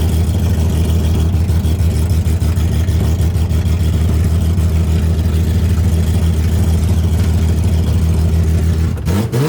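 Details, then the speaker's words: Widebody BMW E30 on MegaSquirt ECU, first test drive in 2 years: loud uneven revving under load with a ragged surging note; owner says it has tuning issues, fuelling suspected; rough running under acceleration. "i know it sounds really crazy but and it has tuning issues but it's so great this is perfect"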